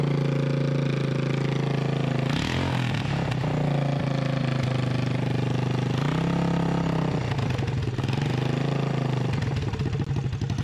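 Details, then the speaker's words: Freshly rebuilt 1988 Honda TRX200SX single-cylinder engine, out of frame, bored .020 over, new crank bearings and seals; loud even thump steadying at idle with short blips, no knock or rattle, runs like new: normal idle. "so what do you think about this engine folks I am so happy that this thing ran I mean it runs like new now"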